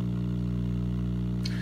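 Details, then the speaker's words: RCA radio powered up, no signal, just a constant low steady 60-cycle mains hum; filter capacitors failing, radio needs recapping. "bad news you hear that hum I think it's safe to say that our filter caps aren't completely shot so this is gonna need recapping but it's alive making a hum 60 cycles"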